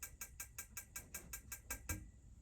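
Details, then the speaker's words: 2011 Swift Charisma caravan heater on gas: about ten quick, even igniter ticks, roughly five a second, stopping when the burner lights with a blue flame. Normal igniter ticking. "and when it stops ticking it means it's lit okay"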